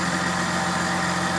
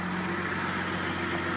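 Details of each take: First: Idling during a power steering fluid flush after the lines were reconnected: steady high whine with bubbling as the pump is low on fluid and draws air. The whine stops once the fluid is topped up. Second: Engine idles smooth and steady with an even low hum after the power steering fluid was topped up to fix AC-use overheating; the power steering pump no longer whines, and the idle sounds healthy and normal.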